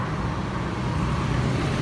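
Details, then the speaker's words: Honda AB 110 rear wheel spun after replacing a broken 6303 bearing on the aluminium side case: steady low hum without the earlier loud clunking; normal wheel bearing after repair. "thì lúc này mình đã thay cái bật đạn vào thì cái phần cái bánh mình quay nó rất là Ê nha nó im lại nó không còn kêu như hồi lúc trước trước đầu clip"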